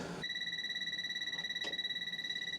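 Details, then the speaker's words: Truck camper propane system leak check: a handheld propane sniffer gives a shrill, rapidly pulsing high beep, signaling propane escaping at a fitting; afterwards the leak stopped. "So propane was definitely coming out. Now it's not."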